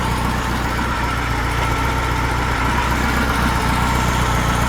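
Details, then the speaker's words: Freshly built high-performance VW flat-four for a Baja Bug, first run, still cold with 50 psi oil pressure at idle: steady, even idle with a smooth low beat and no knocks or misses; runs far better than the worn old engine. "you can hear how well it runs too as compared Locker there sweet yeah beautiful"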